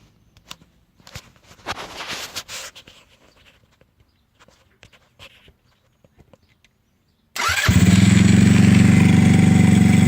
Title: Ruckus gy6 150cc had bad starter solenoid fixed now and starts fine